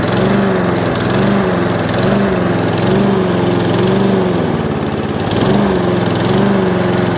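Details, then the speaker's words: Used Hayter Harrier 41 Auto Drive mower at its first start before a service; the oil is greyish. The pitch rises and falls about once a second in a surging rhythm before evening out. The owner suspected low fuel, but the tank had fuel; the cause is unconfirmed. "Got a bit of a hump to it, but it does settle down. Might be low on fuel."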